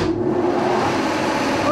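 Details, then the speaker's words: 1943 Brown & Sharpe No 2 Plain Standard 5000 lb milling machine, sliding vertical head swung horizontal, first cut in decades on aluminum block; steady whir with even cutting hiss, no knocks or rattles, healthy. "so i'm going to make a couple of cuts on this um block of aluminum and uh and you can see it cut 80 year old machine making a couple of cuts"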